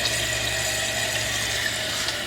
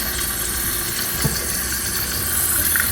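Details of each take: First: Toilet after replacing fill valve with a Fluidmaster 400A universal fill valve; flushed and refilling. Steady hiss of water filling the tank with low hum, no squeal, whistle or chatter, quieter than before: normal tank refill. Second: Running toilet before repair: worn fill valve lets water level rise too high, near the overflow tube top, water dripping out; very loud, later replaced with Fluidmaster 400A. Constant hissing, whistling water flow that never shuts off: running toilet from worn fill valve.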